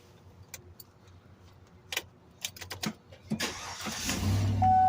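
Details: 2015 Tahoe after replacing discolored under-hood starter/crank relay suspected of causing intermittent clunk no-crank: a few clicks, short crank catching quickly into steady running; starts normally.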